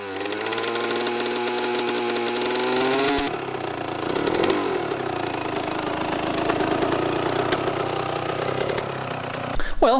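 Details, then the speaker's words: Kawasaki KX125 two-stroke dirt bike started after sitting too long (rough idle at first, warm-up run outside): crisp two-stroke idle settles into steady buzzing run with no knocks or misses; fired up surprisingly, sounded pretty good, normal idle. "she fired up surprisingly um sounded pretty good there were some things I was kind of trying to pay attention to there"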